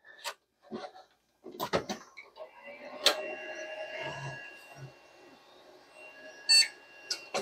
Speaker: but it does have a audio body you can hear the beep